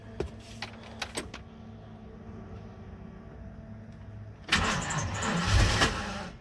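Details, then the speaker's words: Truck with a crankshaft position sensor code, before replacing the sensor: a few handling clicks, a pause, then a long crank before it catches and rises; hard start, with a shaky run afterward. "Nope. And it starts a little hard there too, as you could probably hear."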